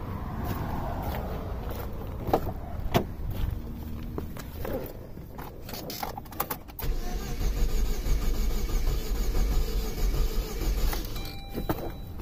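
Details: 2005 Saturn Ion 2.2L 5-speed, towed in after a new clutch; the earlier shop claimed the timing chain jumped. Starter turns the engine at a steady cranking beat for several seconds without firing: crank no start, cause not yet confirmed.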